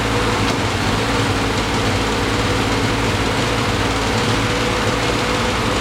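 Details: 1973 Triumph TR6 restoration, first start in 2 years: steady but ragged idle with harsh, uneven exhaust note; rough running, owner thinks ignition too far advanced, also hears clicking.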